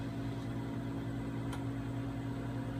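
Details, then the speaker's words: Zeni 5-in-1 cavitation/RF machine vacuum suction probe, releasing around every 4 seconds: quiet steady low buzz with even pitch and no rattles or surging, the suction pump working normally. "you push work you will hear a buzzing noise the machine that indicates it's working you will note you can put your hand there and you can feel the suction and it releases generally on how your setting is"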